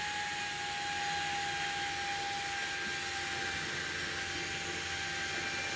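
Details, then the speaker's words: Homemade TIP41-based DC speed-controller module (12 V) driving a new 12 cm DC fan turned to maximum speed: steady, strong rushing whoosh with a thin constant tone, even and unbroken; normal healthy high-speed running. "nah ini saya akan putar ke kecepatan tinggi yang sangat kencang Ini anginnya"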